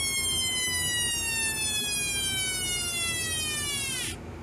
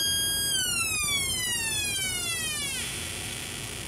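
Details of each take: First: Homemade 1972 siren oscillator with a 100 µF timing capacitor: clear whistling tone slides slowly down for about four seconds then drops out; sweep a little long but still not too bad. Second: Homemade 1972 electronic police-style siren oscillator, after paralleling a second electrolytic capacitor across the suspected partially dried-up capacitor: clean high wail sweeping steadily downward over about two seconds; oscillator working properly again.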